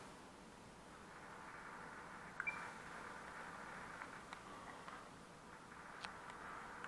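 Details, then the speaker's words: Kodak Z981 camera after power-button repair: quiet, smooth mid-pitched zoom motor whir with soft clicks, no grinding; zoom works normally after reassembly. "zoom fonctionne. J'ai fait une photo. Impeccable."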